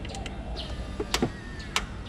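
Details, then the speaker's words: Electric frunk latch motor from an EVOffer Mark 4.0 kit on a Tesla Model 3 (Variant B), tested during installation: the latch is held down by hand and the button double-clicked. Two short, crisp, even whirring bursts with no grinding or stalling: a normal full latch cycle. "now you see that it's doing a full latch. So it's good."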